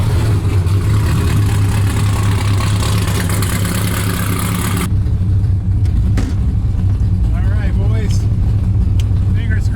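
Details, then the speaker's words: LS3 V8-swapped Mazda Miata on 72% ethanol with original tune, new plug wires, after chasing random poor running: deep, steady idle with even firing beat, no misses or stumbles while warming up cold. "we got 72 ethanol everything seems good just gotta let it warm up"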